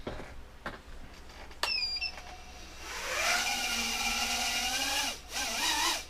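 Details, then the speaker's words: Repaired quadcopter in a hover test: high buzzing whine from the small, now-discontinued motors climbing into a steady hover, pitch wavering slightly; smooth, healthy running, though the owner heard an odd sound possibly from a motor bearing. "fine nice and smooth"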